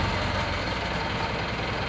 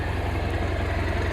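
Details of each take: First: Chevy K30 squarebody crew cab with a swapped 4BT Cummins diesel and NV4500 five-speed, after a 20-mile test drive: even diesel clatter at a steady idle with no uneven knocks or hunting; quiet, healthy idle. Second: Chevy K30 squarebody crew cab with a swapped, brand-new 4BT Cummins diesel and NV4500 five-speed, after a 20-mile test drive. A steady, slightly slow diesel idle with an even knock, running smooth. Idle speed sits a little low and needs adjusting.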